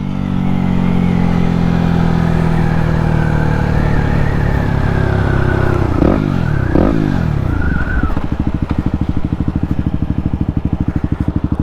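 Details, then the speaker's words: Yamaha WR250X supermoto on first test ride after fixing a kinked fuel line that caused cutting out under full throttle: the single pulls cleanly through the revs, quick gear change, then an even, steady thump. "seems to be ready a whole lot better so it's thinking for our first ride here so so so much better"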